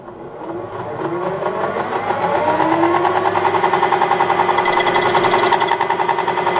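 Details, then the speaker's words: Harrison M300 lathe headstock after new gearbox bushings, spinning up: whining gear tones then rhythmic pulsing growl, noise much reduced but remains; owner suspects other shaft's bushings also worn. "Still a noise. The noise is still there, but wow, it's gone down hugely. I suspect that the other shaft probably needs"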